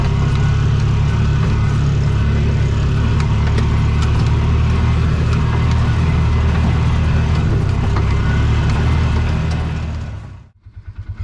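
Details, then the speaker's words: Bobcat 3400XL (rebadged Polaris Ranger 500, circa 2010–13), single-cylinder fuel-injected Polaris 500, after rigging a spare fuel pump for 40 psi fuel pressure: pulls hard and evenly at full throttle with no stumble or cut-out before shutting off. "well that fixed it so just happen to have a fuel pump left over from another project just kind of happened to be able to kind of rig it up where it worked and now we've got good 40 pounds of fuel pressure throttle works on the floor life is good"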